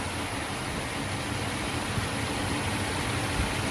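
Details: 1989 Mercedes-Benz 560SEC, starting and stalling trouble, needs starter fluid in the intake, alternator charging at 13.79 V: low, uneven idle with irregular pulse under hiss, about to stall; owner suspects no fuel delivery from fuel pump or relay, unconfirmed.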